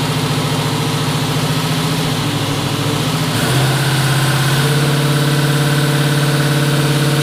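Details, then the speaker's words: Twin-turbo 5.3 L33 LS-swapped 1974 Chevrolet Nova after cleaning the fuel system and adding fresh gas for bogging: steady, smooth idle with no misses or knocks, just slightly fast; tune and throttle position sensor were changed, so the TPS is a possible cause. "alright guys that's awesome fixed should run a mint the only thing is it's idling kind of fast"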